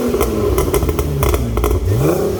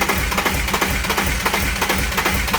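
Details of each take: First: BMW E36 328i with newly fitted exhaust line and a revived pop-and-bang overrun tune: sharp cracks and pops fire in quick bursts as revs fall off; exhaust pops and bangs on overrun, working as intended. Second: BMW E36 328i on first start after refit of battery, water hoses and airflow meter: rough, uneven running with irregular stumbles about three a second and popping; misfire apparently from stuck injectors leaving cylinders dead.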